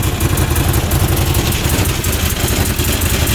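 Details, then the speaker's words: Rebuilt 2014 Odes Dominator UTV idling after start, temperature gauge at two bars, no warning lights; loud steady idle with even low thrum and light mechanical chatter; runs and idles fine though overheating is the complaint. "so as you can see runs and idles perfectly we're up to two bar now no engine lights are flashing"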